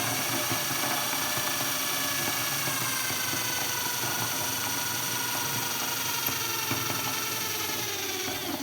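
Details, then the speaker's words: Countersinking a drilled hole in a new aluminium bicycle crank during lightening work, 8 mm drill judged too big: a harsh buzzing high-pitched screech with an uneven rattle while cutting, the countersink chattering on the aluminium. "don't like this sound I do not like that"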